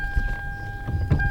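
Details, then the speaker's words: Toyota Camry, engine off: dull low clunks in short bursts as the steering wheel is turned; intermediate steering shaft slightly worn, still safe to drive. "Okay. Steering shaft is slightly worn. With it sitting there not running, you can hear."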